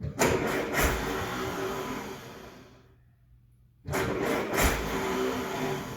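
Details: 1968 M151A1 military jeep, start-up indoors; it still needs a fuel pump and carburettor rebuild: engine catches, cuts out briefly, restarts and settles into a steady even idle with no knocks or misses; owner happy with the sound.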